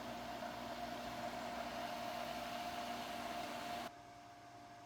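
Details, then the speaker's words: Pool sand filter pump after a third priming attempt, air cleared from the system. Steady even hum, constant motor tone, no gurgling or surging, then cuts off; running normally. "took 3 attempts to succeed, but we finally have no air in the water pump and it's now functioning properly."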